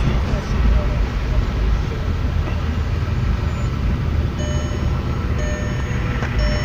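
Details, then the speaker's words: VW Jetta Mk4 2.0 with a flashing check-engine light showing a misfire; it won't accelerate. Heavy, uneven low rumble with a shaky, stumbling idle and strong vibration. "Cuando parpadea así el check varias veces, nos indica que es una falla de misfire, o sea, falla decidiendo. Pero vean cómo tiembla, vean mi mano cómo está temblando mi dedo."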